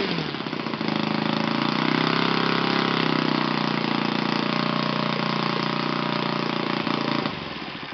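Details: Yamada (Futaba) YS F 120 four-stroke glow engine on a test stand after a full rebuild (combustion chamber buildup, piston and ring problems), Yamada No. 4 plug: crisp even bark at steady high speed, no misses or rattles; normal running.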